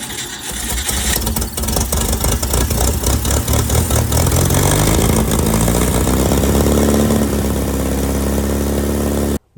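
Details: 1961 VW Beetle barn find, running on an external fuel tank with its pump, battery weakening: after cranking it catches and settles into an uneven, lumpy idle with a wandering beat. Rough idle.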